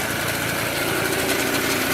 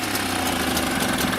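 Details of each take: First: Mobylette X1 moped two-stroke after engine rebuild: steady, even buzz at constant speed with no knocks or misses; runs nicely but generally only with throttle fully open and tends to stall. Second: Mobylette X1 small two-stroke after engine rebuild, hard to start, ignition timing checked at about 25° BTDC: at full throttle it putters ragged and uneven, sounds ready to stall, then stalls; rough running near stall.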